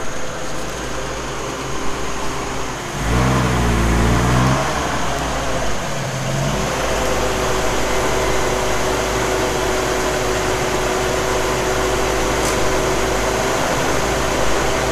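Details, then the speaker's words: 1981 Jeep CJ7 with rebuilt Weber 32/36 carburetor (replacing a two-barrel Carter), test drive after tuning: pulls up smoothly through a brief rev, then holds a steady even drone with steady rpm under road noise; normal acceleration. "plenty of power let's check out the rpms"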